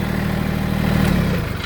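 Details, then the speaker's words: Massey Ferguson GC1710 three-cylinder diesel sub-compact tractor after dealer repair of rough running: steady low chug at idle with even firing pulses and no stumble or miss; running much smoother, seat no longer rocking. "I mean, my seat's not even moving, my seat, y'all seen in the video, you can literally see that sucker rocking. It's not doing it. So it is running a heck of a lot smoother."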